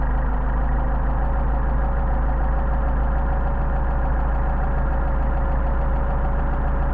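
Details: Mercedes 190SL petrol engine on freshly tested and synchronized Solex carburetors idling steadily around 1000 rpm with an even, smooth low hum and no misses: normal idle.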